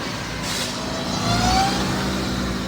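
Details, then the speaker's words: Toyota Camry, automatic transmission whine, a common issue on this year of Camry (owner said it sounded like a Hellcat): thin steady tone with another rising as the car pulls under load over road hum. "Customer states their Camry tuned into a Hellcat. It's actually some good old transmission whine, which is a super common issue on this year of Camrys."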